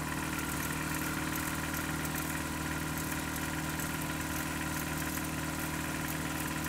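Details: Toyota 4Runner 22RE, cold start idle on 5W-30 oil: light regular tapping about three a second over the engine; owner suspects timing chain or rod knock, unconfirmed.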